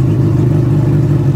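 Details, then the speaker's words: 1991 Honda Civic EF, B18 swap, cold after sitting a while, with a leak. Deep low idle with an uneven, wavering beat that the owner calls horrible; it needs warming up. "it's been a while. This idle is horrible. But we're gonna get there."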